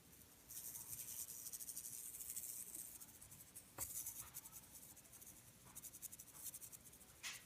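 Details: Samsung UN46F5500AFXZA TV: faint scratchy hiss with irregular crackling bursts, no low hum, from the power board; transformer suspected, no loose solder joints seen, cause unknown.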